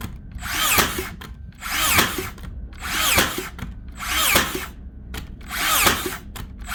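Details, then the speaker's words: Makita DBN600 cordless finish nailer that blank-fired and didn't fully sink nails, after greasing: whirring wind-ups with a sharp strike about every 1.2 seconds, driver retracting to load each nail; consistent firing, massive improvement. "that is actually a massive Improvement she's definitely actually taking the pin back again to load up the next nail not a problem this time"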